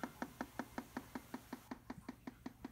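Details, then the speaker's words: 210 I/O board, heard up close at the speaker after power-on: sharp, even clicks about five or six per second, steady and unbroken; repetitive speaker clicking, cause unknown. "I'm gonna get close to the speaker here you can hear the clicking noise"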